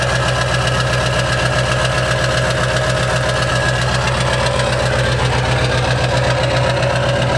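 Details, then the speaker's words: Accident-damaged 7.3 Powerstroke diesel: steady idle with a sharp puffing tick about four times a second; small exhaust leak at the turbo, where the exhaust likely cracked off its V-band mount. "So it's got a small exhaust leak, so it sounds kind of funky."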